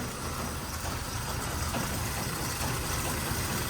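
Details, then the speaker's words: 1969 Chevy C10 inline six at first start after sitting about nine months, fuel lines empty: rough idle with irregular dull thumps underneath; loose exhaust knocking against body and pipes. "Something is not right. Oh, it's the exhaust. Knocking around down there."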